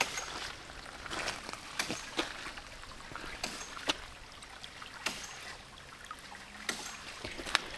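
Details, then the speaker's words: 1" ram pump hitting hard: cracked pressure tank cap lets air escape, losing the air cushion; sharp slams every second or so over running water, drive pipe cracking and bouncing, delivery pipe jumping; water hammer from waterlogged pressure tank. "first of all you can hear the drive pipe is making a cracking sound all the way up foreign next you can see the drive pipe is bouncing more than it should"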